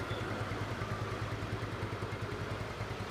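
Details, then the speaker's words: 2010 Yamaha Mio scooter, 10-year-old engine, after first teardown, with plug and intake bolt threads re-tapped and plug and filter cleaned: smooth, even low putter at idle, no misses or clatter; power restored, no more stalling. "tenaganya udah mantap lagi, udah nggak mati-matian."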